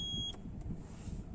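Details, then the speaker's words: Wheelchair van with a Q'Straint QLK-150 docking system: after the key is turned on with no wheelchair locked in, a high steady warning tone cuts off abruptly once the silence-alarm button is pressed; alarm acknowledged and silenced. "and it'll turn that off by doing that i'm basically saying uh i know she's not in the vehicle it's okay"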